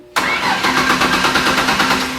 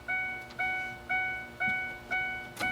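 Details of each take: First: 2002 Ford Ranger with new battery and booster attached: brisk even cranking with strong steady rhythm that never fires; earlier cranking was slow, now spins fine but still no start, immobilizer suspected. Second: 2002 Ford Ranger that previously wouldn't start, after diagnosis and with a new battery fitted. About five slow, even cranking pulses, then the engine catches at once and settles into a steady run: normal start.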